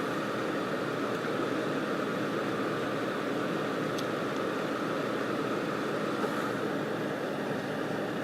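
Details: Holmes HeatSafe HS400 ceramic heater, partly repaired: burned terminal polished and new connector fitted. The fan gives a steady, even airy hiss on low heat with no rattle or ticking, and heat is much more even. Low works; high still doesn't, with low terminal voltages around 90–103 VAC.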